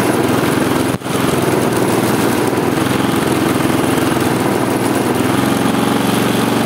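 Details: Husqvarna J55S mower, Briggs & Stratton 650 engine, running rough and uneven with a brief stumble, vibrating; a new air filter is to be fitted.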